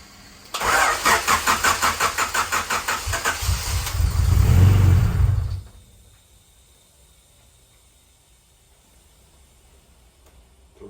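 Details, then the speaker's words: Turbo Honda CB7 with coil-on-plug, new distributor, fuel pump and E85 flex-fuel sensor, first start after priming: quick even cranking about three beats a second, catches cleanly, revs up smoothly, then shuts off; starts right up, healthy. "starts right up no issues"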